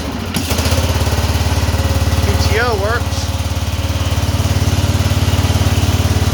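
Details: Cub Cadet 2146 garden tractor, single-cylinder, throttle up, after transmission repair: even chug around three beats a second with steady low rumble, no knocks; runs normally.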